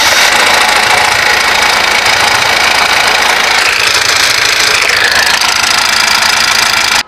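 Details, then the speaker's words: Honda Amaze at idle, owner complaining of a rattling engine: harsh metallic clatter at about three to four rattles a second; worn timing chain plus loose tappets together, with the timing chain to be replaced first. "இது timing chain as well as டேப்பெட் sound இது ரெண்டும் சேர்ந்துதான் இந்த sound வருது."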